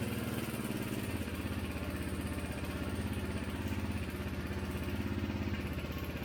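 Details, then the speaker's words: 2017 Honda CRF250L single at idle before repair: quick, regular ticking rattle from the top end; cam chain and gears had much play, tensioner replaced, afterwards no play. "We're going to go ahead and get the valve cover off. chain and gears had a lot of play in it. We're going to go ahead and install the new tensioner."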